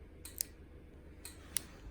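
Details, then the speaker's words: Pop-Up scissor lift bought at auction with parts missing, being bench-tested in a quiet room. Bridging two control wires makes a relay pull in and drop out, giving two pairs of sharp clicks. "can you hear the relay? So if I connect those, just try and connect them together. There's a relay operating down here."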